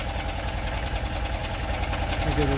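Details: Manual-transmission vehicle at idle after a quick idle-speed adjustment for a slightly high idle: steady, even, low idle with no misses or knocks.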